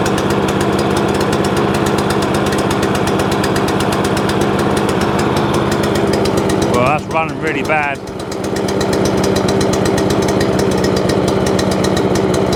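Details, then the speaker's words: Free scrap overhead-valve mower engine after main jet work: uneven, ragged chugging over a loud idle with stumbling firing, as if on choke. Owner plans a new plug. Running rough; cause unconfirmed. "hmm that don't sound very clever do it that don't sound very clever at all"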